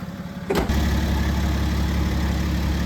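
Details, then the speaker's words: 2013 BMW X5d diesel after new injectors and fresh oil, start-up while fuel system bleeds air: short crank then even, low diesel idle with no knock; previous severe knock fixed. "All right, it's run smooth. It does take a while for the injectors to bleed off the the fuel on the inside or the air on the inside."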